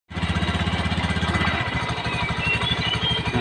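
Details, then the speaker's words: Honda Beat FI scooter idling rough: fast, harsh metallic chatter on each firing pulse from the CVT, like steel plates or a damaged bearing knocking in the CVT area, very noisy at idle, before disassembly. "bisa dengarkan seperti ada pelat baja, seperti ada apa ya, seperti ada pas tuh, seperti ada bearing yang rusak, seperti ada pelat-pelat yang kena di bagian spiti atau gimana, seperti gitu ya pandangan saya."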